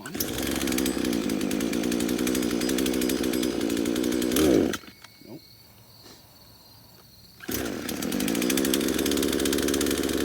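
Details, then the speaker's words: Craftsman chainsaw, two-stroke, first start after about five years in a shed, buzzes at high steady revs, dies briefly and picks back up; it only keeps running with the choke on. "we got a little farther that time with it okay so it only wants to run with the choke on"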